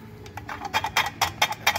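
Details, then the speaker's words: 1960 Impala rear control arm with bushings not pressed in properly and the arm over-ground, rocked by hand: sharp metallic knocks about four per second as the arm moves when it should be stationary; control arm bushing play clunk, customer replacing the arms. "As you can tell, that is not stationary. And you can hear that play right there."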